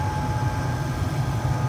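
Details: Carrier 800 TS Weather Maker furnace: constant low rough grinding rumble with steady whine, no change in pace, from the blower; blower motor replacement needed, cause suspected, not confirmed.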